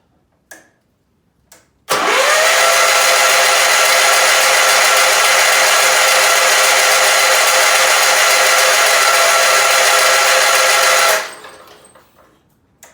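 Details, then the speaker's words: Case 446 lawn tractor barn find sitting several years, cranking with starting fluid: about nine seconds of fast, even whirring cranking with no resistance or firing; owner suspects very low compression, not confirmed. "And actually, if you listen to how this rolls over, not only does it sound like a bunch of cats fighting each other in a bag, but it also sounds like there's no resistance there. Yeah, friends, my guess is this has got less compression than an 80s American V8."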